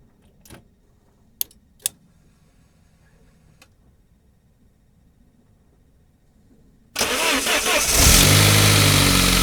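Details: 1999 Saab 9-3, 110,000 miles, just had head gasket done, cold start: harsh metallic rattle that fades after a couple of minutes, from a hardened, shrunken valve-cover upper timing chain guide; replacing it cured it.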